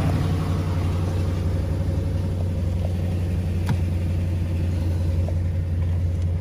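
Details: 2004 Nissan Titan with a crank-no-start, fuel pump line suspected unplugged at repossession; smooth, steady low rumble at idle with no stumbling or clatter; engine starts and idles normally.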